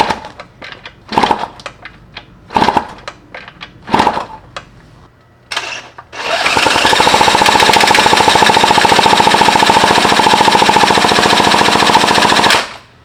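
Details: 1991 Yamaha YSR 50 minibike, first start attempt before restoration using starter fluid: several short kicks, then fast even chatter of three to four beats a second for six seconds, never catches; spark plug electrodes found touching, no gap, so no spark.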